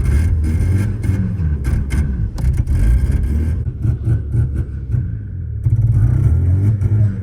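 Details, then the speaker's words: 1985 Mazda RX7 rotary: lumpy idle that surges and sags, very late response to throttle; owner suspects too much premix oil making it too rich to fire steadily, plus leftover bad fuel. "but we think it's so rich that it's not able to Fire and keep a steady idle it's pretty much having a really rough idle and when you hit the gas it's a really late response"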